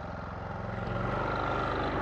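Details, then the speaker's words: Westinghouse iGen4500 generator taking a 1350 W microwave load: the steady drone climbs to a busier pitch about a second in, then holds smoothly. It shows 25% load, and it handled the load normally. "right there you heard it bump up a little bit alright power is 170 volts 122 didn't hurt it at all"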